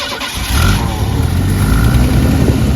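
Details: Carbureted Mercury Zephyr Z7 GS Fox body after replacing the failed fuel pump, with the carburetor rebuilt; cranks, catches within half a second, and settles into a strong, steady low rumble with no misses.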